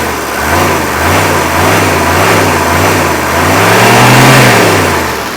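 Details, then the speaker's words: Mercedes 1982 W123 240D four-cylinder diesel brought back to idle, then raced up a little: clatter climbs smoothly and drops back evenly with no misses or knocks, giving nice, steady, smooth power; a healthy engine. "Good, nice, steady and smooth power."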